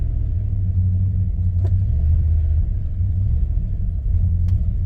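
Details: 1998 Jeep ZJ Grand Cherokee 5.9 Limited, running on bad gas being diluted with fresh fuel: deep uneven V8 rumble that wavers and sags, close to dying, and it then dies; bad fuel suspected, not confirmed.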